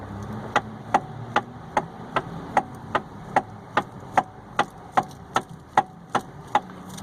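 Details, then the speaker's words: Hyundai i30 electric power steering: sharp single knocks about once a second as the wheel is rocked, with slight play; worn flexible rubber coupling between the electric motor and the column reduction gear. "está com uma pequena folga aqui ó está fazendo um estralo"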